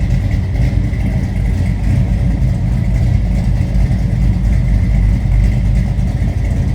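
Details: 1969 Pontiac GTO hardtop Judge tribute with built 428 XF-code V8, at warm idle: steady, even idle with deep lumpy exhaust rumble, no knocks or ticks; sounds healthy.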